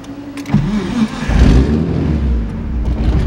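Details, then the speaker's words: RB26/30-swapped 240SX fires up after a scare: starter churns briefly, engine catches and flares, then settles into a steady, even idle with no stumbling; normal healthy start. "oh oh hang on oh yeah she's back she back"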